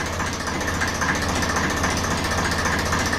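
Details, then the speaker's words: 1954 Ferguson 20 TEF diesel idling after the diaphragm housing was fitted on the rear of the diesel pump: even, steady clatter at constant speed, no misses or surging; normal tickover, nothing wrong. "But there's nothing wrong with that. Lovely."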